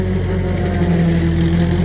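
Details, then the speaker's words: Vintage Ferguson TO35 tractor in second gear pulling a homemade bush hog through waist-deep brush: steady low engine note, pitch pulled down slightly but even and unlabored; engine under heavy load, normal. "Pretty heavy. You can hear how it loads up the track. We're running in second gear. Not too bad."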